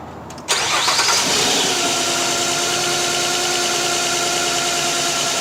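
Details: 2007 Nissan Quest 3.5 with P0300 random misfire traced to a bad ignition coil: quick crank, clean catch, then smooth even idle with steady whir, no stumble or miss.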